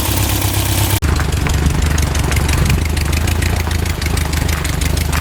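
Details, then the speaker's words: 1967 Volkswagen dune buggy, owner thinks the air-cooled flat-four is about 1300cc and notes it burns oil, restarted after a first ride following a non-running purchase: after a brief cut, engine settles into a steady, even, smooth idle; healthy, good to go. "see if she's still lighting good sounds really smooth doesn't it I'd say she's good to go"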